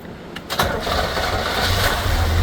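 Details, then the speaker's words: 1967 Corvette C2 after sitting, new carburetor, battery, master cylinder and bled brakes, started with no gas pedal: short crank, catches and settles into a smooth, even low idle with no knocks or misses; sounds great. "Very nice. So, like a kitty cat, it sounds great."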